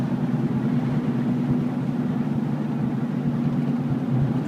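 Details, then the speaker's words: 2000 Ford Explorer Sport 2-door 4x4 (also has a cylinder 4 misfire from a suspected valve) at cruising speed: a steady low drone and whir from aggressive off-road tyre tread, no knock or grind. Tyre road noise. "I don't know if you can hear that or not, but that's just a lot of road noise. And as I said, that's exactly comes from those tires."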